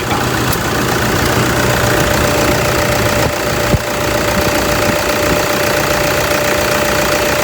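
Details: Toyota Fortuner 2.5 G VN Turbo diesel, registered 2011, one owner; steady, unhurried diesel idle clatter, no misses or knocks beyond normal injection rattle. Engine described as quiet and very smooth, no blow-by at dipstick; healthy idle.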